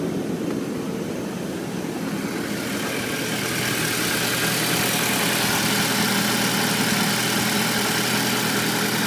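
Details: Audi A4 B7 after an oil change: even idle with a quick regular tick, about three a second, over the engine hum; new abnormal noise, cause unknown.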